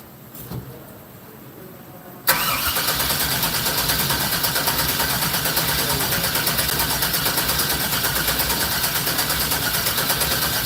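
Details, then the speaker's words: 1964 GMC with Holley EFI on first-start attempt: starter cranks steadily but sluggishly for several seconds, never catches; battery voltage sagged to about 10 V, below Holley's 11 V minimum. "great why wouldn't be stared now it's down to like 10 yeah voltage is a little low voltage um yeah Holly wants at least 11 volts"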